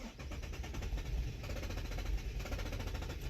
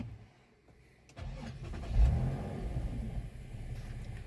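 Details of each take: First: Infiniti (FX/QX/G-type) cranks steadily and fast for several seconds but never fires; tank out of fuel even though the fuel gauge can read above half, and no codes are stored. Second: Infiniti (FX/QX/G) that died suddenly and cranked without starting despite fuel gauge reading above half; after adding fuel it catches within a second of cranking, blips up in revs, then settles into a smooth, even run with no misses; normal start.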